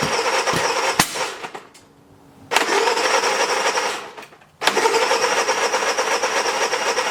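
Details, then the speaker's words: Honda 3000 generator, old green fuel drained, started with choke on: two short cranking attempts then it catches and holds a steady, even run; later ran four hours under 1500 W heater load fine; normal start and run. "okay everyone so we ran the generator for about four hours and we put the 1500 watt heater on there the whole time it was under load and it ran fantastic"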